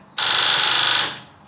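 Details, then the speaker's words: Half-scale NASCAR Mini Cup car, electric fuel pump jumper-tested with a clip lead to its red wire: about one second of high, steady buzzing then cut-off as fuel squirts out; normal, working fuel pump. "Sounds like we're pumping. Oh boy, we're squirting. We got a working fuel pump."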